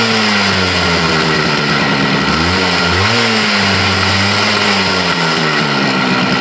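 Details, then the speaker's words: Yamaha RX100 two-stroke motorcycle started after sitting about 10 years, following several failed attempts: steady buzz with wavering pitch and throttle blips, firing cleanly throughout; normal running. "कि अ अजय को 12345 bike start हो चुका है और इसका tuning भी रुपया दोस्त इवनिंग"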